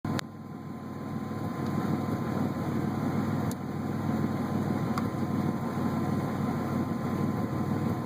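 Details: Buick Regal GS idling with an uneven note and occasional stumbles breaking the rhythm; random misfire, cause unknown.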